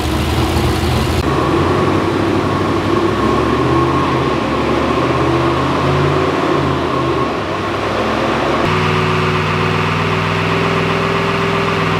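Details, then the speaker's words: LS-swapped GQ Patrol V8 with 6L80e idling with a steady low drone and uneven beat, a misfire on cylinder six; injector plugs swapped between six and eight, which proved it was number six injector wiring. "see if the issue moves from number six to number eight if it moves to number eight then we know it's injector related or ejector wiring related at least but if it stays on number six we know that it must be something to do with the coil or the coil wiring"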